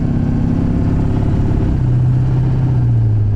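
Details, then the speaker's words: 2003 Chevy Duramax LB7 diesel 2500 pickup at high speed: deep drone with a fast, light ticking over the engine rumble; owner asks whether this typewriter sound is normal, truck otherwise rides great; cause unconfirmed. "now i've heard about the typewriter sound is it normal for it to do this because it rides great other than that"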